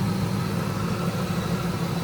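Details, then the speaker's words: Ford Lightning SVT supercharged V8, still cold after about five minutes idling after supercharger work: deep steady idle, intake sucking audible, no blower whine or grinding, no leaks; healthy. "There's no noise coming from the blower, so I was worried about that. I was thinking, I don't know, my first time messing with a blower, so I didn't know if I messed something up. But no grinding. You can hear the intake sucking."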